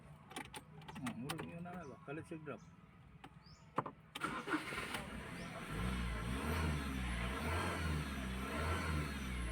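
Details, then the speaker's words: 2015 Ford Ranger 2.2 diesel that only cranked: long cranking, then it catches and runs unevenly before dying, and the fault code won't clear; suspected faulty crankshaft/camshaft position sensor causing stall after start. "Pero ngayon hindi talaga siya mabura-bura at aandar siya pero later on mamamatay naman kaya ito katulad nitoand andar siya."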